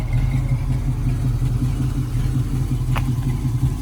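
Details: 1968 Mustang coupe, 302 V8 with mild cam, 3-speed manual: deep, steady burble with slight lumpy cam lope, no knocks or ticks; normal idle.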